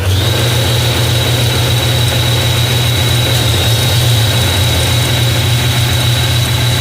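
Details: Nissan Kicks engine idling after alternator work for bearing noise, charging voltage and current confirmed good: even low idle rumble with a faint steady high tone and no bearing growl; engine and alternator sound healthy.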